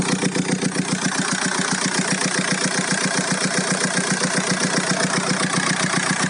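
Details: Golf 4 1.9 TDI 115 4Motion diesel idling: sharp, regular tapping about two and a half times a second over the clatter; owner reports a strange engine noise, cause not identified.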